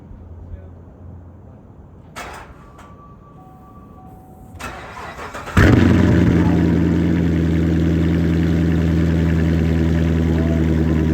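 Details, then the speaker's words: Rebuilt Corvette on first start after filling oil, transmission fluid and coolant; fires after a few seconds, loud idle with faint regular beat, odd noise prompts shutdown; later smoke and overfull oil, leak suspected; abnormal start-up noise. "What's that noise? Oh, stop it. Turn it off. What's going on?"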